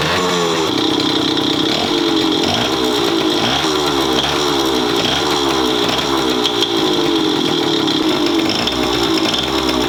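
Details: Bored-up Yamaha Chappy 50 two-stroke: high buzzy idle with a harsh rasping rattle repeating about every half second; loud abnormal engine noise from idle, owner suspects crank or head, unconfirmed.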